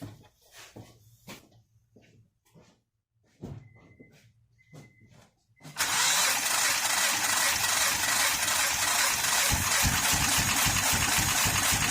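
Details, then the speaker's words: 2013 Honda Pilot J35 V6 that jumped timing: scattered clicks, then a harsh, loud, uneven run that never settles into a smooth idle; flooded cylinders suspected; rough idle. "they sat for a while, and then the cylinders will get flooded, and without doing a flood clear, it'll just keep running like it didn't have any compression."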